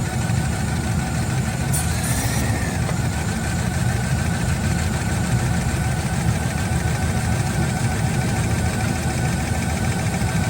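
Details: 2007 Chevrolet Silverado V6 with known lifter tap, before teardown: steady idle with fast, light ticking keeping pace with engine speed; engine ticking, lifter noise suspected.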